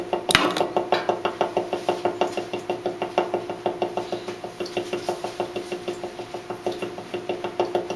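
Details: Carrier AC unit: sharp knocks about twice a second in a steady beat, only when the fan is on AUTO and outside is above 80°F; no noise when the blower runs continuously; cause unknown.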